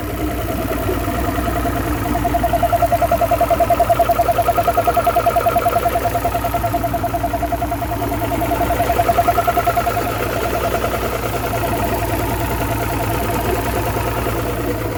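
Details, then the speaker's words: 2009 Mercury Optimax 250 ProXS DFI outboard after replacing the torn fuel and air regulators with a new factory-tuned fuel rail: smooth, even idle around 570 rpm, steady beat, clunking seemingly gone. "Yeah, sounds fantastic. Clunk's gone. I think."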